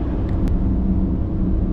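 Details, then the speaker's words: Forestry loader after a fire: steady low growl and rumble with no rhythm, traced to the hydraulic control valve; owner suspects one of its three solenoids fluctuating on and off, cause unconfirmed. "Alright, whatever it is that's making that noise on this machine is coming from the control valve."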